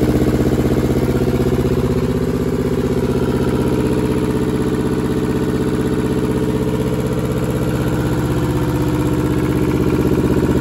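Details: Deutz F2L511 two-cylinder air-cooled diesel with belt-driven fan, ex-forklift, sat about 5 years in a barn; after fuel/throttle troubleshooting it starts and settles into an even, steady clatter about four beats a second, no misses or knocks; healthy idle.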